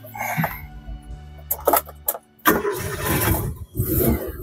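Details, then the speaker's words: 2005 Suzuki Katana GX 1000 cc: short crank, engine catches promptly and settles into a smooth, quiet, even idle with no knocks or misses. "Tokcer ya. Suaranya halus. Dia bisa mengkonsumsi Pertalite. Nih, suaranya halus."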